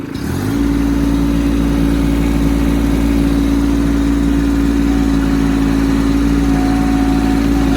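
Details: Kubota B2650 tractor diesel after recent front-end loader hydraulic line work; throttled to about 2000–2500 rpm then back to low, it holds a fast steady hum instead of dropping to about 1000 rpm; idle speed stuck high.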